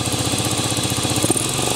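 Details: 1998 Aprilia Leonardo 125 scooter, left sitting outside, idling after a battery replacement and carburettor cleaning: quick, even single-cylinder putter with a brief throttle blip near the end; runs clean.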